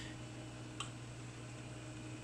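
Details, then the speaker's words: Quasar VR-1000 VCR fast-forwarding a 120-minute tape after the stretched take-up reel belt was replaced and the pulleys cleaned; a quiet, steady whir with no grinding or labouring, working properly. "listen to that no grinding sounds no no struggling at all it's working great now"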